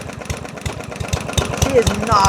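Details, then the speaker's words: Yardman 139cc OHV mower with carb jets drilled to 3 mm: heavy, evenly spaced thumps at each firing, like a hammer inside. Engine knock, cause not confirmed. ">> There's a little bit of knock. A >> little bit. >> I can feel each each fire. >> Sounds like there's a hammer hitting on the inside of the model."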